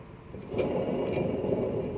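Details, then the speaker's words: Worn wheel bearing: a rough, gritty rumble swells as the wheel is spun faster, already loud at the equivalent of 5 km/h; it goes much quieter with a new bearing. "Alors là, on a un problème de roulement. Déjà à 5 km/h, on entend ce bruit affreux."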